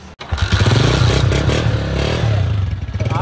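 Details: Honda CG125 motorcycle: single-cylinder thump settles into a steady, even beat with no tapping or misses; idles cleanly and sounds healthy.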